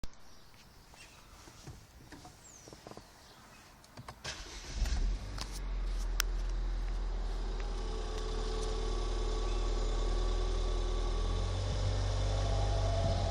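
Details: 2014 Ford Fiesta ST pulling away and driving around 2,000–2,500 rpm (about 30 mph in 3rd gear): a low drone building into a smooth rising whoosh, which is the normal turbo spooling up.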